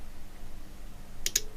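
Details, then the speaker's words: Cambridge Audio Minx Air 100 speaker with no power, opened and powered on the bench: rhythmic sharp relay-like clicks with no lights; switched-mode power supply failing to start, cycling off and retrying. "Rhythmic clicking. I think you can. And interestingly enough, there's no flashing lights or anything else. So, that's the problem as reported."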